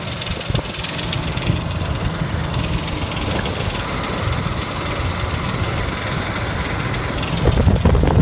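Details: 2004 Ford Explorer petrol engine idling with a light, uneven tick from a failing timing chain tensioner; tensioner broke during replacement, so the engine was removed to replace the timing chains.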